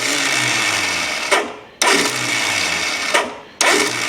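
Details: 1972 Honda CB750 Four cranked during a compression test (about 141 PSI) to clear oil: the starter whirs in short bursts, each dragging down with a clattery, uneven chatter. Afterwards the 17 mm caps on the head were found loose.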